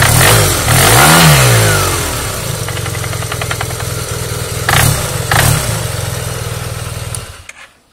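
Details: Yamaha TMAX scooter engine blips up and settles back with a rough tapping through the revs, roughly three knocks a second; internal engine knock, cause unclear.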